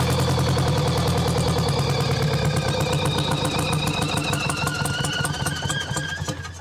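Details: Champion motor grader with Detroit Diesel, locked up 7 years, freed with Marvel Mystery Oil and refitted with the other filter: steady, fairly even diesel clatter about three beats a second, no misses or knocks; water later found in fuel tank.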